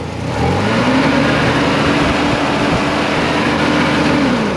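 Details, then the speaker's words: Mazda RX-7 first gen (79-85) with a replacement clutch fan, engine not yet warm: steady revs with a strong rush of air rising and falling with rpm; clutch fan engaging normally, expected to engage more once warm. "I mean it's it's probably going to engage a little more when it's warm like right now you don't really hear the fan too much but when it's warm I I think it'll probably engage a little more"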